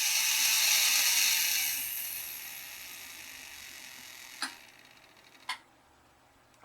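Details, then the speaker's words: Bachmann steam model locomotive after its drive was reattached: an even high-pitched motor whir for about two seconds with no gear grinding or rattle, then it coasts to a stop with light clicks. The drive sounds good, but a hard plastic joint still needs fixing. "now the drive actually sounds good doesn't sound like any years or bro"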